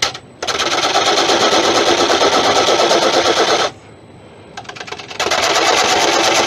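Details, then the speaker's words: Lathe turning a Monkey Puzzle wood bowl: fast even knocking at a couple of hundred beats a minute through the cut, stopping when the tool lifts; knocking from soft pith hit at this speed. "i was wondering what the knocking was right here [Music] it's the pith"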